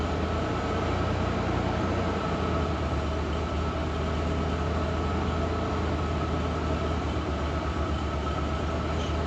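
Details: Ford Bronco II after new spark plugs, plug wires and ignition coil: low steady idle dipping slightly then holding around 1000–1100 rpm, smooth with no misses; idle healthy, vacuum leak issues noted only at idle.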